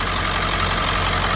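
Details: Ford F-250 7.3 Powerstroke diesel after topping up low oil and adding additive: even, steady idle clatter with no misses, stumbles or knocks; running smoothly, previously wouldn't pull out of the driveway.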